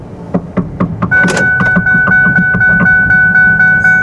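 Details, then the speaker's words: 2002 Ford Mondeo Mk3 2.5 V6 saloon, 245,000 km, left-hand drive: sharp knocks about twice a second while driving over a steady chime, from the driver's side CV joint; the boot probably split a while ago and it has lost its grease. "There is. Um, there's a big knock when driving. I know what it is. Um, basically, it's the CV axle on the driver's side."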